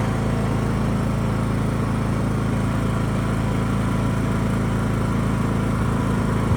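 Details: John Deere E100 riding mower after a no-start repair (a cheap replacement part): steady, even engine hum with a constant low beat, no misses or surging; running smoothly and healthy.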